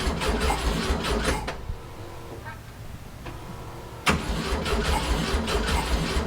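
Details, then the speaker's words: 1967 VW Fastback whose ignition keeps frying: with a fresh ignition module and charged battery, even starter cranking about 150 beats a minute, a pause, then more cranking that never catches despite starting spray; crank no-start, no spark. "all right she's not starting all right shoot a little bit of this in there and see if that helps"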